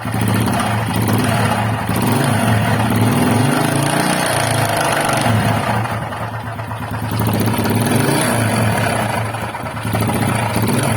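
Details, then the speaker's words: Honda XRM125 motorcycle before teardown, camera close to the engine, owner suspects the camshaft: loud clattery single with an uneven knock under the beat at idle and revving; noise could be piston, camshaft, connecting rod or crankshaft bearing, source unknown. "So, una kasi, maraming ingay yan, no? Pwedeng piston, camchin, connecting rod, or crankshaft bearing. So, iba-ibang sound, no?"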